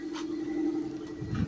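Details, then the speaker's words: 1996 Toyota Corolla AE110, 212k km, idling cool shortly after a morning start, in Drive with AC on; even steady drone, idle smooth, though owner says it shakes roughly when hot midday despite throttle body replacement. "when it's cool it was only started recently in the morning and as as you can see the idle is pretty smooth"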